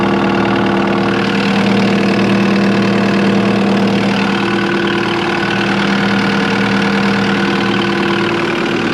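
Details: Cat 259D skid steer diesel at its 1500-hour service, started after an oil change and refill to check for leaks: steady, even idle with a smooth low drone and no knocks or misses; running healthy.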